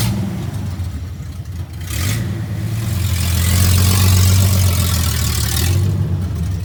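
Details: First test drive of 1982 FJ45 pickup with freshly rebuilt 1977 Toyota 2F and H55F 5-speed accelerating: revs rise smoothly through each gear, tidy shifts, no grinding or whine; first gear very short; engine and gearbox normal.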